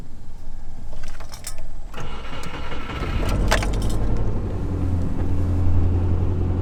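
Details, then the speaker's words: Subaru Forester on cold start: rapid light clatter over the fast idle, identified as a loose, failing timing belt tensioner rather than Subaru rod knock; tensioner to be replaced. "Alright, so I hope you heard that sound, and actually this is not the typical rod knock, Subaru rod knock that you can expect from Subaru. The engine is still going well. This is coming from something else, and this is actually the timing belt tensioner, and this is what I'm gonna change today."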